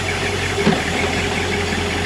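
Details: 1986 Shamrock boat Ford 302 V8 at idle, with a transmission that was previously reported slipping. Steady idle hum with a single soft clunk as reverse and forward engage, no grinding afterward; the prop shaft turns and the gear engages normally.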